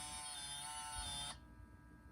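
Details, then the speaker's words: 2004 Toyota 4Runner V8 Limited, 246,000 miles, in neutral after replacing the 4WD transfer case actuator (Aisin SAT-003): smooth, even electric motor whir for about a second then a clean stop; new actuator shifts normally in every position. "So everything is working on this new one."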